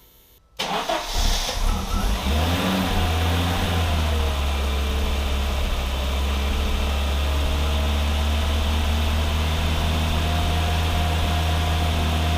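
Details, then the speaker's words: 1987 Audi 5000 CS Quattro turbo with CIS injection, after replacing the fuel injectors and spark plugs; starts promptly, blips once, then holds a smooth, even idle with a steady low hum, no stutter or hunting; injectors now fire evenly. "i have to say this thing runs a lot smoother and when i turn it on it doesn't do that stuttering in that first 15 seconds it feels like the injectors are all firing at once and have the same fuel pressure"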